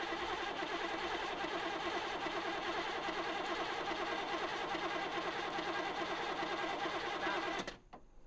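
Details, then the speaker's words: 1985 IROC Camaro with a freshly rebuilt 305 engine, first start attempt: the starter churns at about three beats a second and the engine never catches. A pulled plug showed no spark, and the distributor was found faulty. "it sounded like it wasn't getting a spk so Matt pulled one of the plugs and sure enough it wasn't firing"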